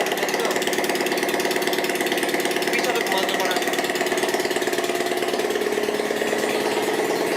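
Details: Bajaj Platina motorcycle run without silencer during engine repair: harsh raw exhaust popping at steady idle with an odd, strange note; cause not identified.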